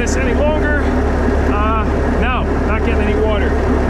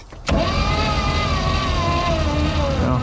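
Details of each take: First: Vintage Caravelle boat with an inline-six engine, sitting since the 90s, running after a hot-wire to the coil. A steady, even low rumble with a smooth firing rhythm and no knocks; it runs cleanly. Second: Caravelle boat engine, sitting since the 90s, cranking to build oil pressure: starter whine drags and sinks in pitch as it turns slowly; suspected weak Optima battery needing a charge, unconfirmed.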